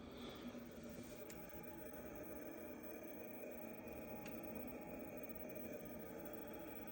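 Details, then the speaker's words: BMW 5 Series F10, parked and locked: the electric steering rack starts a steady low hum some time after opening or locking, draining the battery; the fault is believed to be in the wiring. "Вот вот такая вот проблема получается BMW F10 электрорейка получается при открытии или при закрытие машины через какое-то время начинает гудеть рейка"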